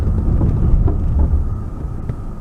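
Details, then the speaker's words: Toyota/Lexus driven over bumpy surfaces: dull low thumps from the rear over heavy road rumble; worn rear stabilizer (sway bar) link ball joint causing rear suspension clunk. "here's how to fix a rear suspension clunk by replacing the stabilizer linkage when driving over bumpy surfaces I can hear clunking noise coming from the rear"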